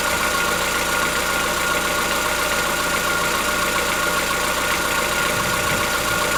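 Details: Chevrolet Onix 1.4 petrol, 2014-15, cold-start idle: light, fast ticking over a steady idle with a faint high note. Present since new, lasts about 10 minutes. Owner suspects a tappet or internal-part knock, not injectors; dealers say it is normal for the car.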